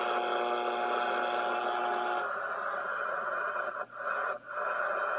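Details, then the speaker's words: HF transceiver receiving a steady buzzing hiss with faint whistling tones, the same across the bands including 160 m; strong interference of unknown origin swamping reception, making HF useless. "something is just happening here and it's it's everywhere"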